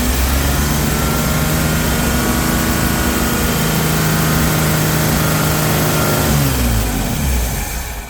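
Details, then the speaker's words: 1981 Chevy C10 revived after sitting, carburetor just fitted: the engine stays screaming at high revs with no throttle input, then drops off slowly. The throttle was stuck because the return spring was not hooked up. "well that sounds good guys but I don't know why the is the throttle stuck oh yeah oh yeah that's what the problem is you know why that idiot didn't hook the the return spring up"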